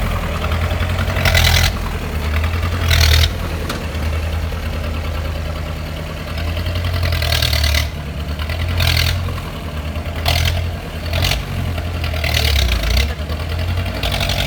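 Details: 1986 Mahindra 500D jeep, International slow-speed direct-injection diesel, idling after cold start following 18 years of standing: deep low chug, fairly steady with some louder surges; no clear fault.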